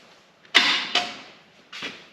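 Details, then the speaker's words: Twin-turbo 6.0 in a 1965 GMC C10 at first fire-up, with leaking AN fuel lines and a swapped OEM regulator: three short harsh clacks with no cranking rhythm. The starter is stuck. "Not a lot. That's all it does. Yeah. Starter stuck. It was very anticlimactic."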